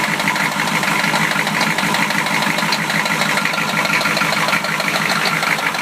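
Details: 1993 Chevy idling: hard, uneven knock running through a harsh, clattery idle, typical of a worn connecting rod bearing; rod knock.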